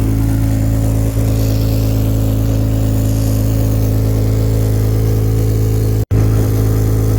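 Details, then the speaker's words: Mazda 323F V6 running at idle, warming up after a vacuum leak was fixed, heard from underneath: steady low idle with a soft, uneven puffing under the drone, an exhaust blow at the rear silencer box. "let's get underneath and see where this exhaust blow is coming from sounds like it's coming from this sort of"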